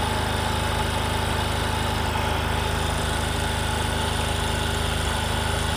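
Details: Discover motorcycle, in a clip about mileage and engine-sound problems: smooth, regular single-cylinder idle with an even beat and no knocks or rattles; a healthy, normal idle.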